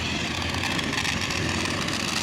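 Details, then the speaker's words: Homemade electric RC Swaraj tractor, DC motor gearbox, testing forward on road while pulling a loaded trolley: steady buzzy whirr with hiss, flat under strain; cause unknown. "और फिर पता चला कि यहाँ पर testing करे तो motor के गियर स्लिप मार रहा है रोड के ऊपर से।"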